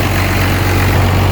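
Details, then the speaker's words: 12-valve Cummins diesel with a new XDP high-output alternator, idling with wipers, lights and AC on, about 17 to 20 amps at 14 volts: steady, even deep drone, no knocks or whine: normal idle under electrical load. "Alright, so right now with everything loaded, as you guys, wipers are on, lights are on, AC's kicked in."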